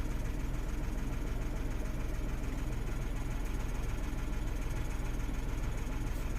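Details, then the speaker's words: 2016 Renault Twingo 1.0 three-cylinder, engine and spanner lights on, codes DTC013513 and DTC11501C, running with components disconnected and no codes stored: low idle with slightly uneven lumpy beat, no clear knock; rough idle. "okay I have all of the disconnected so the car is running a little bit rough at the moment but I want to sort these out before I put everything back in"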